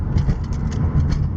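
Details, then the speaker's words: Mitsubishi Galant VR4 cruising on the freeway, camera on dash, windows down, after differential replacement and ride-height change: steady low road rumble, diff quieter than before with the former howl gone. "so I have to say the diff sounds like it's even quieter than it was before like before I kind of go like a howl"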